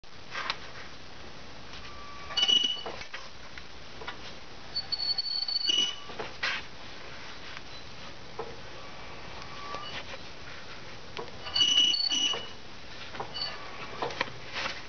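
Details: 2001 Nissan Maxima FWD, passenger-side front jacked up in neutral, wheel spun forward by hand; short high squeaks every couple of seconds, louder near the transmission, owner suspects inner CV joint or axle rather than the bearing.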